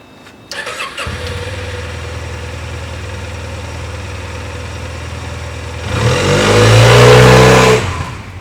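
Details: Honda Silver Wing 600 scooter at 3,895 miles with new belt, after clutch teardown: catches to steady idle, then revs smoothly with no squeal as CVT clutch takes up; squeal gone, apparently clutch pads.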